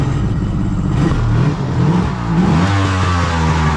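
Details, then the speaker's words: Kawasaki 900 STX two-stroke jet ski after starter replacement, piston repair and impeller work, run out of water with stabilizer added: clean throttle blips rising and falling smoothly, no knocking; sounds healthy. "now what I like to do now is just start it up and let it run get inside the carb [Applause] sounds pretty good"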